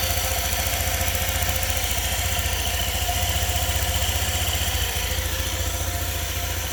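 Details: 2018 Honda PCX, 1178 miles, first start after valve adjustment (intake and exhaust both too tight, exhaust below minimum spec): low, even putt-putt idle about four beats a second, no ticking; quiet, healthy idle.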